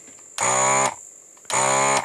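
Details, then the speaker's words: ZD-915 desoldering station vacuum pump after repair (screw secured with Loctite), test run: two loud, even half-second buzzing hums starting and stopping cleanly; sounds much better than before and seems to suck well again; normal pump operation. "Yeah, and that sounds a lot better than what we had before. I think it sucks as well."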